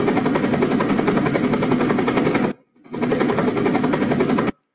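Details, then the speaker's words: Composite hydrofoil in a flow-loop cavitation tunnel, tip filmed from underneath: rapid, uneven rattling buzz, about three or four beats a second, cutting out abruptly; flow-induced vibration caused by unsteady tip cavitation. "so you can see that the flow because the unsteady cavitation caused a lot of the unsteady low cost flow induced vibration you can definitely see that and you can hear that"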